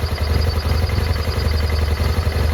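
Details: 2009 BMW F800GS at idle: deep, lumpy, stumbling idle that never settles, also cutting out in traffic; vacuum leak from one torn idle speed actuator hose and one broken off the air box spigot; fixed with new hoses.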